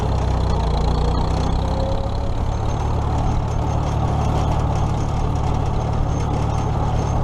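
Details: Old tractor (the H) after alternator repair (loosened nut fixed), running for a ride before the 2017 Nowthen Threshing Show; deep steady rumble with even beat, no sharp knocks or rattles – normal running.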